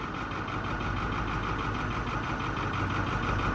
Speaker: it kind of has a little bit of a you can hear unevenness that could still be from everything being sticky as well